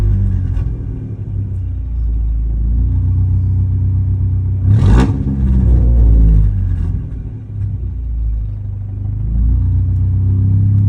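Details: 2015 Ford Mustang EcoBoost: a low rumbling engine with an uneven, stumbling beat and a brief rev in the middle; the unsteady pulse points to a misfire.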